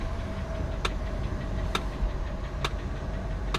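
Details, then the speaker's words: 1997 Ford E-250 Econoline van, long sat in weeds with no shocks, driven out under its own power: low engine rumble with a sharp crack roughly every 0.9 seconds while moving, a loud periodic noise of unidentified source. "what is that horrendous noise"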